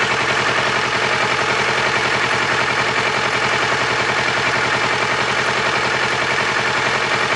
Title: strange engine noise